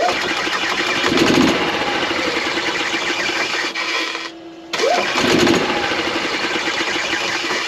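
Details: 2016 Yamaha petrol golf cart, after replacing the battery that caused low-voltage slow or no starts: brisk, even cranking that catches and runs, with a short pause between tries; starter spins strongly, normal.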